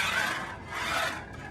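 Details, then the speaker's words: Ninco Fiat slot car after a one-screw repair to cure its hop. A high, even whir swells as the car passes through the corner under full throttle with no chatter left, so the motor now runs smoothly. "take a listen nothing and take a listen nothing and the control it just feel so much better it's not even the same car at this point"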